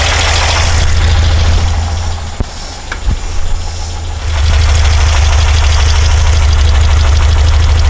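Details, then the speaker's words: Porsche 912, Dellorto DRLA carburettors, after cleaning a jet: low lumpy idle stumbling three or four times a second, one cylinder dead; spark seems fine, smells fuel-starved; junk later found in cylinder four idle jet. "I don't see any reason that spark plug she'd not be firing there of fact smells like it's not getting fuel there's something still in that idle circuit"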